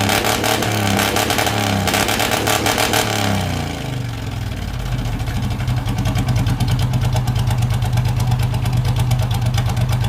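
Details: Race mower / hot rod tractor small engine with magneto ignition and a custom relay-and-tach rev limiter, recorded from behind: a sharp rev climbs and falls, then settles into a fast, even popping beat with an open exhaust; normal idle and revving.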